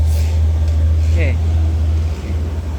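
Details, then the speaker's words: Lexi scooter after rebuild of engine seized from running out of oil: steady, even low hum at idle with no knocks or rattles; smooth and normal again, whereas it sounded very rough on arrival. "suaranya ya suaranya sudah kembali halus sudah kembali ke mode normal ya"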